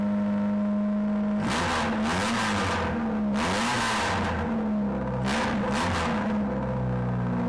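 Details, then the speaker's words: Nissan Sunny N13 Pulsar, first start after a homemade shotgun exhaust with one small welded-in silencer and no other silencing: raspy, blaring note rising and falling with revs; too loud, another silencer needed. "I think I'm going to have to put another silencer in that exhaust because it's a bit bloody loud, but it sounds cool nonetheless."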